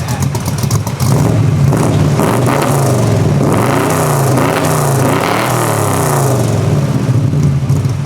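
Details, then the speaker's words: Cammed 1975 Chevrolet Corvette V8 with 4-speed, new Speedy Sport mufflers: deep, lumpy burble rising cleanly with each throttle blip and dropping back smoothly; healthy normal exhaust note. "Now's that time. How do the Speedy Sport mufflers sound? Oo, I like"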